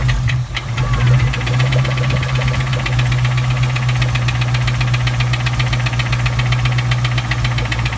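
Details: 1997 Mustang Cobra at idle: sharp even knock every crank turn, loud and persistent; suspected rod knock, head tick or spun bearing, not confirmed.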